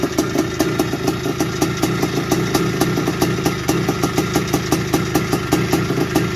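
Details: 1981 Suzuki RM465 two-stroke barn find, first start after fuel poured down the plug: steady idle with a quick even metallic tick on top; owner suspects it needs a top end, heavy smoke suggests blown main seal, clutch side suspected.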